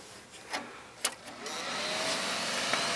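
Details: HP XW8000 dual Xeon workstation, powered on for testing: a few clicks, then fan whir rising smoothly and settling into an even hum; fans spinning up normally, boots to Windows XP.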